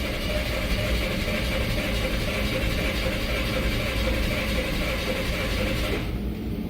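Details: 2005 Nissan Pathfinder: starter turns the engine over steadily for about six seconds without firing; crank no start, crankshaft sensor previously found broken, crank and RPM signals look good, cause not confirmed.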